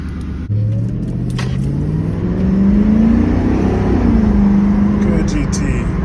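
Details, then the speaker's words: Mustang GT with crank no-start and no fuel pump priming, after replacing the fuel pump and the filler neck grommet: the engine catches, revs up smoothly and settles to an even run. Fuel delivery is restored and it runs normally. "that's what a fuel pump supposed to sound [Music] like"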